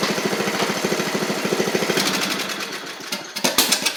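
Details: 7-year-old MTD Murray riding mower, oil a bit low and due for change, ran great at first: small single firing about 200 beats a minute, then stumbling and surging unevenly; engine running rough, owner suspects water in it.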